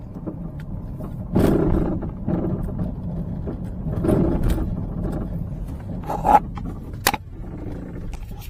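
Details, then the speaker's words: Peugeot 308 driving over small bumps: dull knocks in bursts every couple of seconds from the front underbody, unchanged when braking, suspension-related, minor part; shock absorbers also appear long failed. "这种异响应该和悬架有关系。通常呢，像这种异响呢，我能听得出来，它不会是大问题啊，没有那么严重啊，就是其中一个部件出现了问题，但是还不是主要的部件。"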